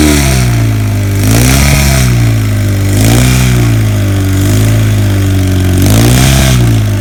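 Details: 1977 Kawasaki KZ1000 D6 (Z1) sidecar racer, first run after about 20-25 years in storage: revs rising and falling with throttle, running on all four cylinders but with an odd, uneven, funky exhaust note.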